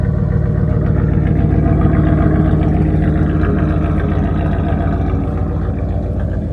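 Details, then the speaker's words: Truck "Colossus" V8 after tune-up, slightly chilly start: deep steady rumble with even firing, no miss, loud raspy hacked exhaust; engine running smoothly. "It doesn't seem like it has that little miss or anything. It sounds good, but the exhaust is absolute trash on this truck."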